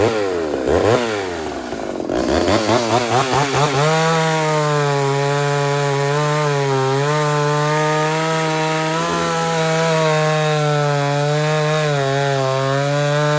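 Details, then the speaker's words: Ported Homelite Super XL-130 chainsaw cutting wood: screams up, then holds a steady high buzz that sags slightly as it bites; oil good, runs good, screen can clog and overheat it in summer; normal cutting under load. "all right other than that everything seems to be in working order oil's good runs good"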